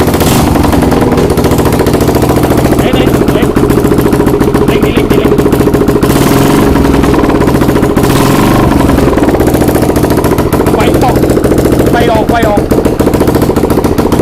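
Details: Exciter690R first start after the build: loud, open-piped single fires up and revs freely with a crisp, quick beat and steady rhythm. The engine sounds healthy.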